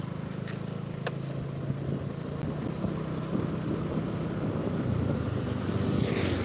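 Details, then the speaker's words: Honda Vario scooter lacking power, especially uphill, after a spray-clean service: idle drones unevenly, swelling and sagging without settling; hunting idle. "Enggak ada enggak ada Power terus langsamnya naik turun naik turun naik turun enggak jelas ini"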